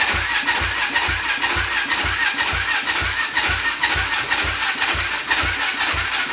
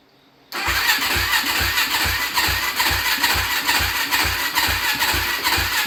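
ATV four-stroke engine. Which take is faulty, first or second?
second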